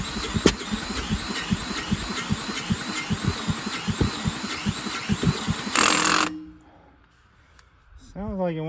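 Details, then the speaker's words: 10,000-watt generator cranked with a drill, choke then turned off, after oil change and spark plug swap; it ran fine before storage under a tarp. Steady cranking pulses over drill whine, one brief catch, then dies; won't stay running. "to go poor drill oh sounds like it wants to go I don't know what the heck changeed the oil"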